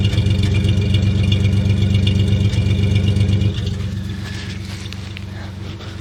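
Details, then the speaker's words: Buick 225 V6 (Dauntless) at idle with adjustable ME Wagner PCV installed, mic near exhaust: steady pulse with occasional stumble; intermittent misfire, owner suspects one cylinder still lean from intake manifold gasket vacuum leak, gaskets to be replaced. "I'm just stick it down by the exhaust here a little bit too. And you can hear that every now and then there's a miss."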